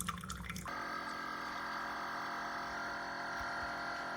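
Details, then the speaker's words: Chefman single-serve K-Cup coffee maker while brewing: sudden shift into a steady even hum with several held tones over a watery hiss; unusual noise, cause unknown, water came out not very hot. "That is a weird noise. Do you hear it? Okay, I'm not used to that."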